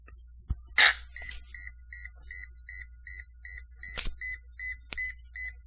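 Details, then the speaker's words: Brushlesshobbies LT4-120 ESC in an RC car: on power-up during programming it beeps steadily about 2.5 times a second and won't stop, no receiver light; continuous ESC beeping, cause unknown. "push the button turn it on beep beep beep let go and she doesn't stop beeping no receiver light on nothing"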